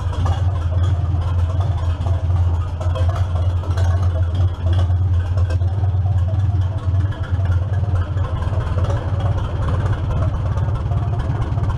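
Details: 1947 Farmall M just after belly pump and clutch service, first start: low, steady idle thrum, even, with no whine or rattle from the pump; running healthy.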